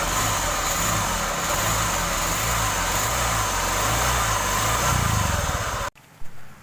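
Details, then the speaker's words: Honda Vario scooter idling: harsh, rough roar with a thin high whine, very coarse "like a jet," from a worn crankshaft bearing. Finding: worn crankshaft bearing. "teman-teman itu tadi ya suaranya untuk kerusakan laher kruk as itu sangat kemrengseng sekali seperti suaranya kapal jet ya teman-teman"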